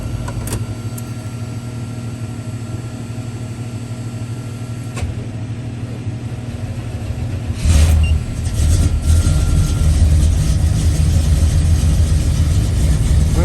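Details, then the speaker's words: Square-body Chevy C10 truck ("Dale") with EFI, boosted, in a garage: the starter churns about 220 beats a minute for nearly eight seconds before the engine catches and settles into a rough idle; extended cranking, slow to fire. "about efi there ain't no pumping in the ain't no cranking all right so we've got both vehicles started"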